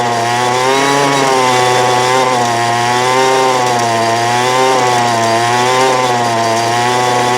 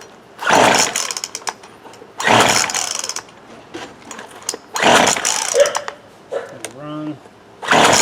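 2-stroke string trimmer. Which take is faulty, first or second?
second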